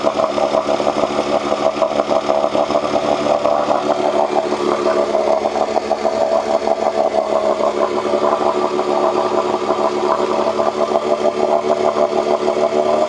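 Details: 1986 Johnson 4 hp Seahorse two-stroke outboard after cleaning water passages for overheating: steady, even buzzing drone at constant speed, no misses or surging.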